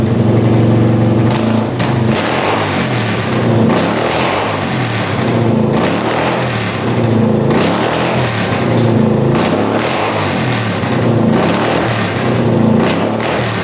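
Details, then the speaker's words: 1981 Honda CX500 café bike sitting in a basement for years; twin revs raggedly, hesitating and stumbling, popping; runs better on choke; owner suspects missing airbox/pod filters and worn accelerator pump diaphragm on carbs, unconfirmed. "it's definitely running better with the choke on I think it needs that airbox sounds really [Music] weird"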